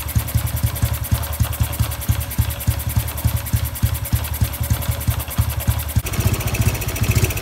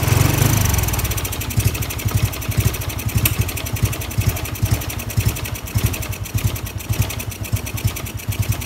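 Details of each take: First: Honda Wave 110i, modified engine returned to stock with ECU remapped to factory standard; even steady low thumping at idle with no knocks or misses, slight rise in pace; normal idle. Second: Honda Wave 110i returned to stock crank, cylinder, piston, head, valves, exhaust, injector but still on a performance-tuned ECU map: uneven, lumpy single-cylinder beat never settling; rough running from tuned map.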